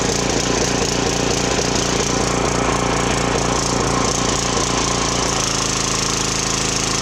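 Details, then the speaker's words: Briggs & Stratton 2900 psi pressure washer after a carb cleaning for hard starting, low power and only running on choke: fast steady single-cylinder buzz that settles into a slightly different drone as the governor adjusts. Mild surge off the trigger is common; it runs good. "Well, there we go. She runs good. That surging when I'm not on the trigger actually is pretty common on these."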